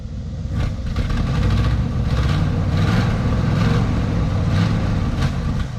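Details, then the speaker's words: Ford 260 V8 that had sat for a very long time, first start with some smoke: it settles into a steady, low, lumpy idle with an even beat and no knocks or misses, sounding healthy. "oh man she sounds good huh old man"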